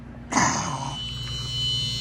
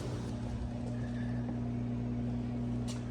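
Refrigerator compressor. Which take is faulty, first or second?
first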